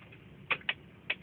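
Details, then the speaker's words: 1999 Mitsubishi Galant VR, key on with engine off: light, sharp clicks a few times a second at slightly uneven spacing from behind the dash; source unknown, owner wonders about the audio system or air conditioning. "there's a sticking sound inside my dash whenever i start my car"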